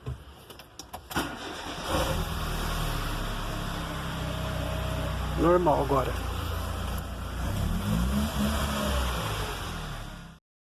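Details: Mercedes A160 after the clogged, dry timing chain tensioner was removed and cleaned of residue: the engine cranks, catches and settles into an even, smooth idle with no chain rattle or ticking over the low hum.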